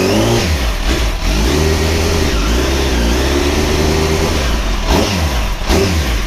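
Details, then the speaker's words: Motorcycle after owner's repair, oil refilled, test revving: clean revs rising and falling smoothly, no misses, knocks or rattles; an earlier noise is now gone; sounds healthy. "we're good think we're good to go you know all feels good sounds good"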